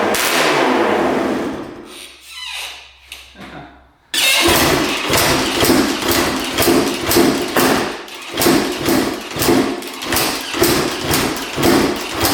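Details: 1991 Honda CR250 dirt bike with a 1995 CR250 engine, refiring after dying: uneven pop-pop about twice a second, stumbling and surging; owner suspects it is losing spark or fuel and fits a new NGK BR8ES plug.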